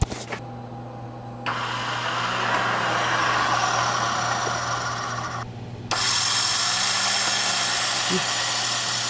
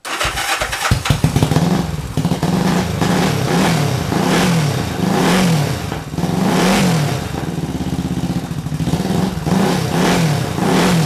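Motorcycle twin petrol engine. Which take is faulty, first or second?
first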